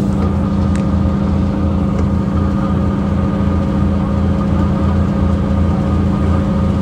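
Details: 2009 Mercedes-Benz CapaCity metrobus, OM 457 hLA Euro 5 diesel, 12-litre, with ZF Ecomat 6 HP 602 C six-speed automatic: steady low drone with a fixed hum and pulsing throb under the diesel, a rarely heard noisy automatic gearbox.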